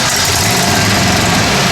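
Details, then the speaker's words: 1970 Plymouth Road Runner not started in 25 years, temporary startup fuel supply: engine catches on a shot of gas poured into the carburetor and runs rough and unevenly for a moment; ignition timing found off. "hold on let me get a shot of gas give it a shot but by God it runs look at that accelerator pump squirting you see that"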